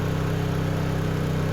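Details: Honda EU2000i generator after valve lash adjustment to factory spec, carrying a 1500 W heat gun at about 1470–1480 W: steady, even hum at constant speed with no misses, surging or knocks, normal running under full load.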